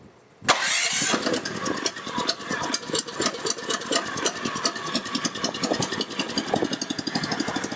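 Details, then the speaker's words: Test start after final wiring with a temporary jumper cable and battery, fuel pump on ignition: starter cranks briefly, engine catches and settles into an even, steady idle with crisp regular firing pulses; normal start and idle. "all right all right so it works so that's good news"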